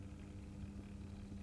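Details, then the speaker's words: New Accurascale Class 31 model locomotive, not yet run in, running in reverse. A soft, steady low hum with no rattle, much quieter than its buzzy forward running. It is running normally and quietly. "much quieter but like I say it's not running yet so I suppose there is room for improvement"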